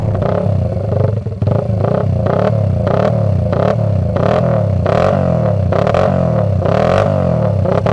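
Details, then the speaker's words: Restored 1979 Honda XR80 with a D&G big-bore tailpipe, unknown fuel: small single-cylinder barks crisply through quick blips, each rev climbing and dropping cleanly with an even firing beat. Normal running. "Now, this D&G big bore tailpipe is another quality item on this little XR Honda, and there's quite a decent growl from this exhaust, which we'll be able to have a listen to just shortly."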